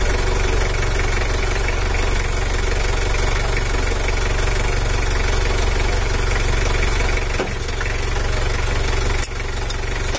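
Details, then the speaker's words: Factory-standard Mitsubishi L300 4D56 diesel, weak on hills, after valve clearance adjustment: steady idle with an even clatter about three per second. Throttle response is still slow, so the injection pump is being adjusted for more power. "Oke kehidupan ini suaranya masih standart cuma kita setel klep tapi enggak bakal spontan kita maksimalkan lagi masih lambat ini"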